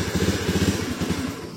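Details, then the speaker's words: Honda Beat FI scooter that often dies suddenly and grows hard to start: uneven pulsing putter for about a second and a half, then it sags and fades as the engine stalls; no warning light flashes. "nah ini motor hidup. Nah, langsung mati dia ya."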